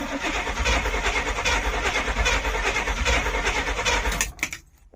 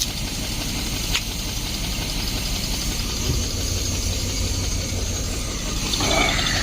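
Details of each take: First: 1972 Barth motorhome after sitting 15 years: steady cranking about three beats a second for four seconds, never catching; crank no start from no spark, later fixed by swapping in another cap and coil. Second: 1972 Barth motorhome, unstarted for 15 years, after a new fuel filter and clamps: the engine holds a steady idle on its own with a rough but even beat and no misses; normal idle.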